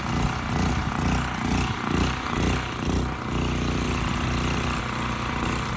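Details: Westinghouse 7,000-watt generator with rusted gas tank and gummed carburetor, before carb cleaning: speed swells and sags about twice a second, then evens out somewhat; rough surging idle, kept on choke, frequency about 75–80 Hz. Carburetor suspected.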